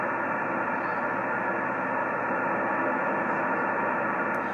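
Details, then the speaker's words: Yaesu FT-1000MP Mark V 200 W HF transceiver on a 75 m dipole: loud steady hiss buries stations so voices can't be understood; excessive receiver noise, clearer when the coax is moved to another radio. "my problem is I got all this noise you just barely can hear him here somebody talked like it was just then okay you came early understand you can't tell what they're saying or nothing"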